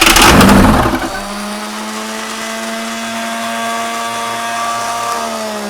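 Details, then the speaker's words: 6.2 L GMC V8 diesel unstarted for 15-20 years, heat being given during starting attempts: a second of harsh cranking clatter stops dead, leaving a thin steady electric whine; the starter motor jammed, starter killed. "so the starter motor jammed and was I think that was just most likely brake cleaner was it yeah so that yeah we've killed the starter motor"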